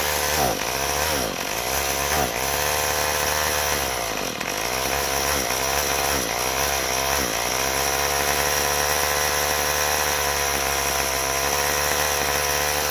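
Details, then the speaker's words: Troy-Bilt TB32EC two-stroke straight-shaft trimmer, off choke: buzzes high but sags and bogs, stalling as soon as throttle is applied; carburetor needs adjustment. "all right so it's off the choke all the way and as soon as you go to give it gas it is stalling out that's what's going on with it"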